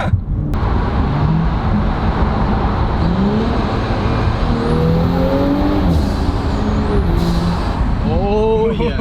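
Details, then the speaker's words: 2018 Audi B9 S4, untuned, just back from three weeks at the shop with the turbo replaced after a loose wastegate: strong even engine drone pulling hard with a smooth rising whistle, no rattle; healthy new turbo under acceleration. "it sounds so fresh but it honestly seems like you have a brand new turbo that's what you do have"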